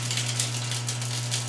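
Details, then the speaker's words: GE GDF520PSF4SS dishwasher not draining, filter already cleaned, run after a start-button reset: the drain pump hums low with a gritty, crunchy rattle as it tries to pump out; owner suspects something blocking inside the pump, not confirmed. "And after it resets, you can hear it trying to drain, and you can hear crunchiness. Which is why I suspect there might be something inside of there that's blocking"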